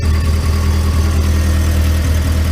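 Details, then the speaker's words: 2010 VW Gol with EA111 engine, cold start: low, lumpy idle with uneven beat, slight stumbles and popping, very rich mixture; suspected faulty water temperature sensor signal to the injection ECU, coolant also low; rough idle after cold start. "let's start the car now let's see what's going on with the car because the friend there said that when you turn it on it starts popping"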